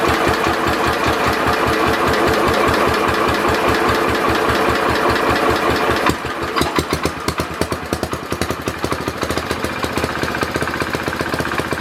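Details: Simplicity Landlord 2010 tractor engine running after the oil seal was replaced and the engine was bolted down: heavy, regular knock at two or three per second; owner suspects a rod knock, and the carburetor still needs fine-tuning.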